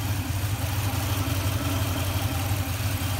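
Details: Toyota (Tundra-type) engine during fuel pressure testing: steady low idle rumble with a slightly uneven beat; rough idle, owner suspects fuel pressure fluctuation or camshaft sensor wiring (P0340 code), cause unconfirmed, sensor already swapped.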